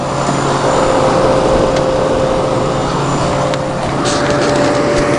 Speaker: it's running nice and cold and you can hear how that how smooth that Tecumseh AE sounds compared to any sort of rotary compressor it just sounds great